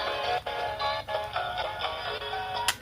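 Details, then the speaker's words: Sony TCM-333 cassette recorder after drive belt replacement, playback: music drops and thumps about every half second, jerky stutter from scarred, pitted pinch roller rubber; expected to smooth out with use. "Ini sebenarnya sudah normal, tapi suaranya kayak jeduk nyendat itu karena karet pinch rollernya walah susah itu ada luka ya."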